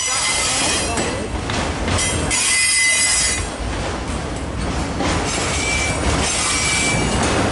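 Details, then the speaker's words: Train in a snowstorm, heard trackside: rolling rumble and clatter with a thin high screech coming and going from the wheels; wheel flange squeal on a curve. "hear that what the screeching yeah what is that coming from it's coming it's coming from the wheels"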